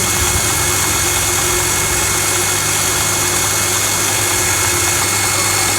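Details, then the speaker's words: Household water pump after loose fan/impeller shaft was wrapped tight with PVC pipe tape: steady even hum with smooth hiss, no rattle or scraping; normal running, noise gone. "ก็เป็นการแก้ปัญหาอีกวิธีหนึ่งใช้ได้นะครับเสียงไม่มีแล้วนะครับเสียงหายไปแล้วนะ"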